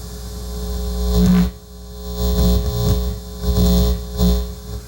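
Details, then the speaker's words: Sony TC-854-4 four-channel reel-to-reel with no playback: low steady mains hum swells and fades as a hand nears the playback head; suspected broken connection between head and amplifier, or a faulty playback head. "should not be getting induction just getting my finger near the head so maybe there's a connection broken here"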